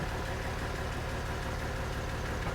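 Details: Jeep in cold Colorado mountains: low, lumpy idle with an uneven shaky beat and no steady rhythm; idling super rough and struggling uphill, cause not pinned down.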